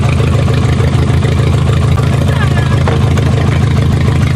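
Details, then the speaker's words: Three-cylinder VW Golf, jump-starting with booster cables and ether: uneven, lumpy idle with a stumbling low throb and shaking, easing slightly after a throttle blip, knocking heard later; rough idle, misfire. "yeah you just punch it I actually got better there it's not shaking as bad"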